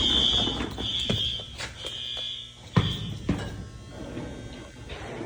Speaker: Oh, we got it all right. Yeah, we heard her go. The horn that he put on is functional.